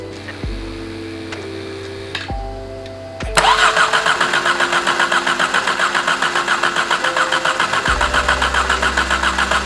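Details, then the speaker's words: Exocet/Golf R after the stuck-open injector problem, fuel pressure at 60 psi and the ECU unplugged. Steady cranking at about 3.5 turns a second for six seconds that never catches; spraying is suspected, the crank sensor is suspected, and something is not getting power. "I don't know what's gonna happen if I try and start it now. Doesn't sound like it's gonna happen."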